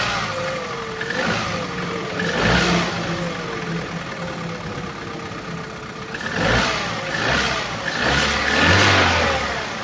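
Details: Knocking from the engine bay of a 2011 Opel Corsa D, 1.2 L petrol A12XEL (63 kW/86 PS), 150,980 km: deep knock at idle, sharper with each throttle blip; diagnosed connecting rod bearing damage (rod knock).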